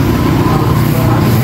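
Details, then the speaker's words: Honda Vario 125 with MIL light and stalling, traced to a peeled CKP sensor wire, after repair and TPS/ECU reset: steady, smooth low drone with no knocks; engine sounds good, though it feels slightly heavy and the injection hesitates, injector service suggested. "ininya masih bagus P dari suara bunyinya kalau dari suara masih bagus Cuma dia kayak agak berat aja dia ber agak berat"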